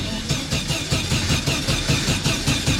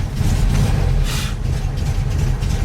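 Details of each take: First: 1974 VW Super Beetle, first start after rebuild: starter cranks engine in steady even rhythm but it never fires; cause was a loose negative wire on the ignition coil, reconnected. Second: 1974 VW Super Beetle after reconnecting loose coil wire, started cold and briefly flooded: deep even low rumble with no misses or knocks; idling pretty good considering it's cold.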